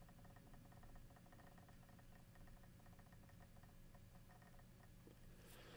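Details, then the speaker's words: Seagate Exos enterprise hard drive, during a read/write rewrite operation: rapid, frequent light ticking over a faint spindle hum as the heads seek, which is normal. "so straight away you must have noticed there that there is a lot more background clicks there in the background during this rewrite operation"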